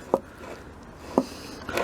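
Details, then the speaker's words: Volvo V70 III front door hinge during door replacement: short dry creaks and scrapes as the door swings; one hinge freed with lube showing rust, the other still grinding and needing to be dismantled. "that's more like it i'm glad i checked this that was really nice this one's still you can actually hear it grinding"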